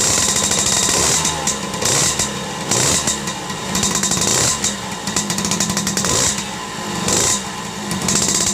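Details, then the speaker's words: Yamaha Force 1 two-stroke motorcycle that had lost ignition, after fitting an aftermarket (KW) CDI and rewiring the pulser wire; crisp buzzy note holding steady with small throttle blips, firing evenly; running normally again. "Oke teman-teman motor udah hidup normal kembali"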